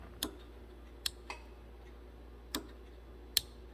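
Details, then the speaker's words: 2006 Honda Civic, AC compressor clutch powered through a relay jumper switch: sharp isolated clicks at uneven gaps, and the clutch engages only sometimes. Likely excessive clutch-coil air gap leaves too little power to engage. "See, it did not engage that time. That's usually a result of excessive air gap on the clutch coil. Hasn't got enough power to engage."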